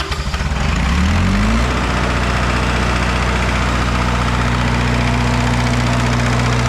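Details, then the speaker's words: Red-D-Arc diesel welding machine at idle: uneven knock about three a second over the idle rumble; owner suspects injector knock but is unsure. "it kind of sounds like we got a knock um it might be an injector knock but it I don't know"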